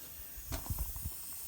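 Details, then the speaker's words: Ferguson TO20 tractor cylinder leak-down test at about 90 psi: steady faint hiss with soft low thumps as air escapes past worn piston rings, engine needs rings; no blown head gasket, milky oil from water after sitting outside. "and you can hear it here we're just we're losing air from rings so there is no blown head gasket on this tractor"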